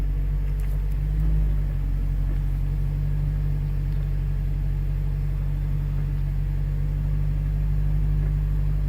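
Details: 2000 Toyota Celica GTS after a hack fix for an AC fault (compressor used to run seconds, then the light blinked): steady, even low engine hum with the AC compressor engaged throughout, no knocks or squeal, and very cold air; normal operation.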